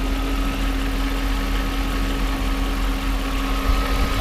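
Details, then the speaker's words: Mercedes SL500 R129 V8 at a smooth, even idle with a steady low hum and no knocks. Restarted after the coolant fan relay contacts were cleaned; fan clutch engaged, AC on, compressor spinning, AC lines cold. Healthy. "The AC compressor is spinning. Down low."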